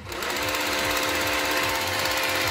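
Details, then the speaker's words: Parkside cordless jigsaw, reassembled without its base after a suspected jammed stroke (plunger/roller wedging): a fast, steady buzzing stroke at even pitch with no catching or stalling, so it now works. "работает проверим на максимальных оборотах может стоп вылетит работает"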